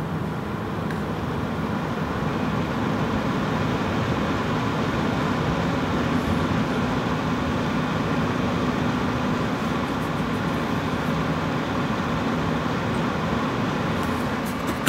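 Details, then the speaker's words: Gelid Liquid 240 Ultimate AIO cooler on 5900X: steady fan rush with low droning hum or grind underneath, intermittent; a failing bearing in one of its fans suspected, unconfirmed. "Now, yeah, there is a bit of a hum coming from one of the fans. I believe one of the bearings might be going in one of the fans."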